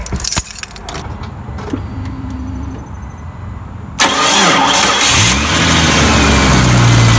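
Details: 1999 Jeep Cherokee that gave no clicking on start: after the solenoid is tapped with socket extensions, a few quiet clanks, then the engine briefly cranks, catches and settles into a steady idle; sticking starter later replaced.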